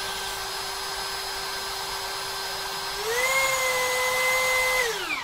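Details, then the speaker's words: Cheap rebranded brushless hammer drill after repair: the rotor had been rubbing the stator and was shimmed with sandpaper or paper. It now gives a steady, clean whine that rises with the trigger and spins down smoothly without scraping. Normal running. "Jadi udah pas ini kalau kita lihat putarannya Udah lancar tidak tidak bergesekan"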